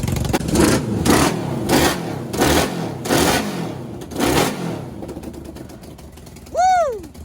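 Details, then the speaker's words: Half-scale NASCAR kart four-cylinder with new custom aluminum intakes and carbs, throttle cable tension reduced: five quick blips rising and dropping cleanly, crisp even note, no stumble; running on all four cylinders. "So it sounds super healthy now. It actually sounds like a motorcycle. It's running on all four, which is awesome."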